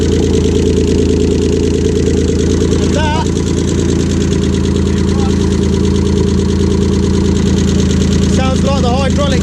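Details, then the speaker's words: Non-running project car started for the first time: a steady idle with a light, fast tick about three times a second. The owner suspects a hydraulic tappet rather than the bottom end; an exhaust blow is also suspected. "by the looks of it and sounds of it it don't seem like it's the bottom end seems like it's the hydraulic tap it"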